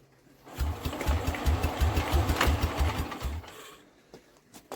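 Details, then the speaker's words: Old scrap-yard Norman engine driving a generator, fuel added and primer tap open: even pull-cord cranking thumps about three a second for three seconds with no firing; owner suspects a missing brass piece in the carb. "all right we will be back and we will have another look at this but for some reason we're not even getting a fire out and we should be"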